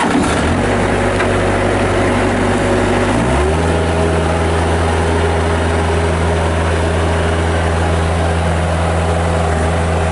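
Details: 1997 Bobcat 763 skid steer loader with Kubota diesel, 2,808 hours, on Loegering tracks: a steady, even diesel drone drops smoothly to a lower idle and holds with no knocks or misses; healthy running.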